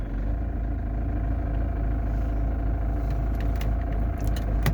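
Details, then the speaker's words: Camper van engine idling after restarting on a newly fitted battery, following a battery fault that left it dead a day and a half. Deep, steady rumble with an even beat, no stumbles or knocks. Normal idle. "Ça faisait quand même une bonne journée qu'il n'avait pas démarré. Une journée et demie. Je suis vraiment content, il a redémarré."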